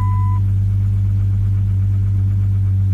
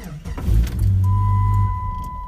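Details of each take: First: 1997 Jeep Grand Cherokee with an intermittent alarm that shuts the engine off, started after unlocking with the fob: a deep, even drone with no knocks, misses or surging, then it shuts off with a couple of chirps. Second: 1997 Jeep Grand Cherokee locked with the alarm armed and opened with the key: the engine catches briefly, then dies within a second as the alarm module shuts it off, with clicking from the module behind the dash and a steady chime.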